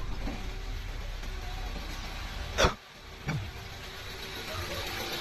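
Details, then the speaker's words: Suzuki SX4 after repair of crank-no-start fault with check engine light, now starting on one click; very quiet, even, smooth idle with soft low hum and handling clicks, no shake; normal idle. "Ayan Normal naman nasa sobrang tining pa nga ng makina napaka smooth"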